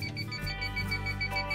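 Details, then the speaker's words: 1989 Champion Ultra Star motor home: steady run of sharp, evenly spaced high beeps in a quiet interior from a detector, beeping because it hasn't been reset yet. "if that noise is coming from this and the reason it's beeping is because it says it hasn't been reset yet"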